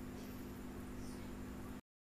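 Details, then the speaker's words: Aquarium air pump after opening and repair runs with a soft, even buzzing hum with no rattle or stutter; it now runs smoothly. "देख सकते कितने अच्छे से चल रहा है"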